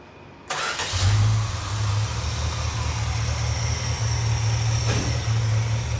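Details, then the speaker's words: 1967 Dodge Charger 383 V8, off the road 15 years, after replacing the carb base plate that caused a vacuum leak: catches and settles straight into a smooth, even idle with steady low rumble, no misses or knocks; healthy. "The motor's purring like a kitten. We're going to take it out for its first maiden voyage in 15 years."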